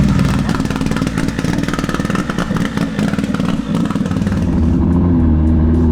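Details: K24 AWD Honda Civic drag car back from the track: choppy, uneven exhaust pulsing, ragged below 7000 rpm and worse than before, turbo spooling louder; rough low-rpm running, manifold suspected, not confirmed.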